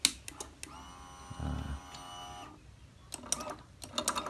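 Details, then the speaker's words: Honda Beat scooter after crankshaft position (CKP) sensor replaced for lost ignition, electric start: short thin starter whir lasting about a second that never catches; drained battery can't spin the engine, so kick-started instead. "Oh, ini akinya drop nih, kita engkol ya."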